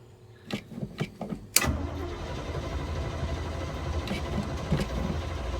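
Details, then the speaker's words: 1977 Chevy Big Ten pickup with a 350 V8 and granny gear, cold start after sitting: a few gas pedal pumps and clicks, then it catches at once into a rough idle; faulty choke causing hard cold start, neutral safety switch also broken. "the chokes messed up on this truck and so you usually have to pack the gas a couple times to get it to start"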